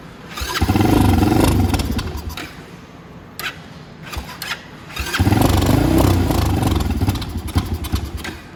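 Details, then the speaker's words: Venom X20 motorcycle with Nibbi carburettor, just cleaned and reinstalled, choke on, no gas in the bike and none flowing from the fuel line: two long cranking bursts with steady churning rhythm, never runs; fuel starvation. "I don't think any gas is getting in there yet. Yeah, it'll be tough because there's no gas in the bike. So yeah, I understand why it's not running now."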